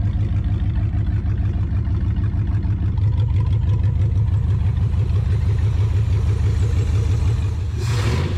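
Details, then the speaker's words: Abandoned 1959 International B100: engine revs briefly, then settles into a steady, even idle with no misses or knocks; sounds healthy. "but that thing sounds pretty pretty healthy guys I'm really impressed with how good that [Music] sounds just drop right back down to a perfect idle"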